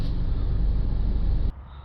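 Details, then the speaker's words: Land Rover Freelander after suspension repair, driven down a bumpy track: only a low steady road rumble with no knocks or clunks. The earlier clunk when the car rocked side to side over rough terrain is gone. "now we can fail if we're driving down a bumpy track here so we no longer have any knocking"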